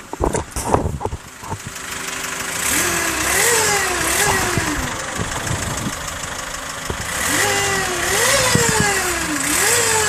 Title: Mazda6 weird engine sound